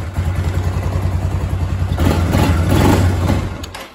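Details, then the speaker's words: Kawasaki Bayou 250 after carburetor replacement, old fuel still in the tank, cold engine: single cylinder fires right up, thumps steadily, revs briefly and eases off while warming on choke; runs evenly and sounds healthy. "so fire's right up sounds good idle's awesome"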